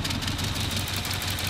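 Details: Cold start on a 400 hp 1993 Volvo 940 turbo wagon, stock 2.3L redblock four-cylinder: short burst of lumpy, uneven idle with rhythmic chuffing, puffing smoke; one cylinder not firing, so the engine lopes.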